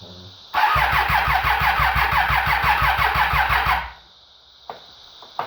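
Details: 2013 Triumph Daytona 675R first startup after top-end rebuild following timing chain tensioner failure that let intake timing jump into pistons: catches quickly, settles to crisp even idle, shuts off cleanly; sounds healthy.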